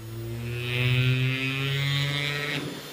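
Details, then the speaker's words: 500 W air-cooled ER11 CNC spindle, speed being raised via potentiometer, lifted off the wooden board so it no longer vibrates: steady hum and smooth airy rush; it runs evenly. "Vous voyez que si je la soulève et que ça vibre pas sur la planche, ça tourne."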